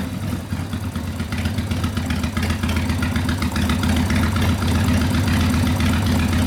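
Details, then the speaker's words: 1990 Harley FXRP custom, 80ci Evo V-twin with mild cam, ~5500 miles, sat 8+ years, accelerator pump not working, carb flooding: loping even idle, deep exhaust beat, no misses; normal idle. "that sounds good i don't think there's a real big cam in it but it's got a cam in it yeah it runs good"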